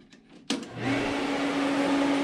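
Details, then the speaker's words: Everlast 255EXT TIG welder's water cooler switched on with the machine: a click, then a loud, steady pump hum with a constant mid-pitch drone, which the welder calls super loud; the cooler is running normally. "you're gonna have to excuse the noise because a water-cooler super loud"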